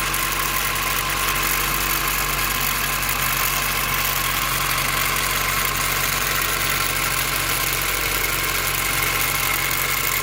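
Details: Cold petrol engine at start-up idles with a steady, busy metallic rattle over a low hum; owner believes it comes from the distributor, but replacing it didn't help, and LMAs and valve lash checked OK; rattle persists.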